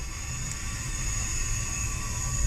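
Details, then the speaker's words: Race car cylinder leak-down test, cylinder two: steady thin high whistle over a low rumble from escaping air, after break-up issues; bent valve, head must come off; cylinders three and four about six percent leakage. "well someone into two is [ __ ] can you hear that whistling"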